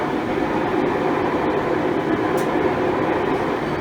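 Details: Five-year-old Maytag Bravos XL washer after replacing the drive shaft bearings: a smooth, steady rushing spin with no grinding, rumble or knocking. A normal spin cycle.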